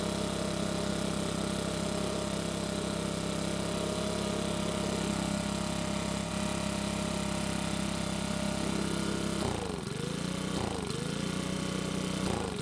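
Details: Makita small four-stroke leaf blower after carb repair: steady high buzz, dips and recovers cleanly on a few throttle blips; a bit cold natured but runs well at normal temperature.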